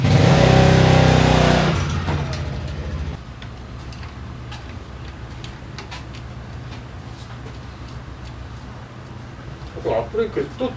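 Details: Daelim Citi Ace 100 (CA100) motorcycle, repaired for a gear-shift noise from worn clutch lifter rollers: the engine blips briefly, then settles to a smooth, even idle with no knocking or clatter; normal running.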